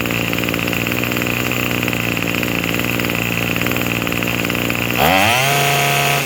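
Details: Craftsman 27cc two-stroke string trimmer, made January 2013 and obtained free, on a run test: a steady buzz holds an even speed, then the pitch drops cleanly back to a smooth idle; it runs and idles properly and sounds pretty good, though it is smoking.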